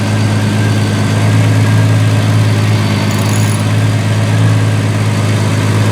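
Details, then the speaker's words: 1976 Triumph TR6 started at the start of restoration: steady, even, quiet low idle with no knocks or stumbles; runs normally, though fuel is leaking at the bottom o-rings. "oh yeah this car actually runs pretty well as you can tell very quiet"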